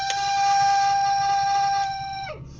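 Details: VAZ Zhiguli classic in hard frost, car not yet warmed up: heater blower fan gives a loud steady high whistle sliding down in pitch, dying when switched off; thought due to uneven shaft/brass bushing expansion when cold, fades as car warms.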